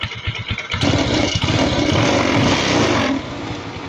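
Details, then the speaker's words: Kawasaki Rouser 135 after repair, parts replaced, kick-started because of a weak battery, settling into a steady single-cylinder idle with no knocking over the exhaust beat; now quiet compared with the heavy clatter before. "Ayan pero tahimik na. Kumpara mo naman nung dati na walang yan lakas ng lagapakan nito"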